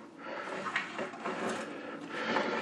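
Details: Vintage late-1940s to early-1950s swivel-top TV table, turned by hand with a TV on top: a dry scraping rub with faint squeaks from unlubricated roller bearings that need oil.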